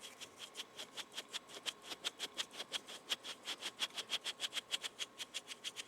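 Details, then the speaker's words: Rough, dry sealed bearing from a Leslie speaker idler arm, spun by hand, clicks and grates about five times a second over a thin high ring, before being oiled. "I let me use one that's rough see okay here's one that's making noise listen"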